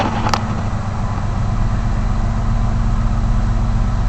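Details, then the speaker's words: 1999 Chevy S10 after cleaning mass air flow sensor and throttle body: steady even low idle with smooth regular beat, no stumbles, a whole lot smoother, back down to about 900 rpm; normal idle. "Oh yeah, she's running a lot smoother now. A whole lot smoother now. And there she comes back down to a good around 900 RPM idle. That's what we want."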